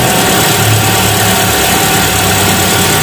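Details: 2001 Hyundai Atoz GLS small four-cylinder, pre-trip check, started after sitting two days: smooth, even idle with a steady beat, no limping or skipped firing; sounds healthy.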